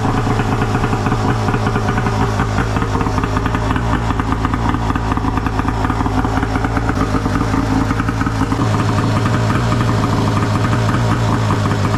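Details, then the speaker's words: Arctic Cat F1000cc two-stroke EFI twin swapped into a Yamaha YFZ450, first start after fuel pressure cut to ~45 psi, coils swapped back, new plugs, flooded cylinders cleared; fired on one pull, quick even burble, no misfire. Normal idle. "yes holy [ __ ] she fired up I couldn't believe it she fired right up one pull and it idled right away"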